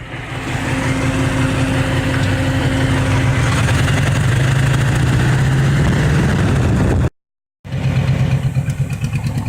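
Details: El Camino V8 idling with a lumpy, uneven exhaust beat, about three pulses a second, plus a raw-gas smell and mileage down to about 5 MPG; a burned exhaust valve, not an exhaust leak or bad timing.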